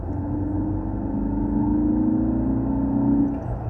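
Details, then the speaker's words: Ford Focus ST cabin drone accelerating through about 3,000 rpm: a steady low booming intake note builds as revs climb, piped into the cabin by the factory sound symposer; a CFM symposer delete is planned. "you shift nice and quiet as soon as you hit 3 yeah that drone that kind of noise that starts coming in and that's because this car has something called a sound symposia"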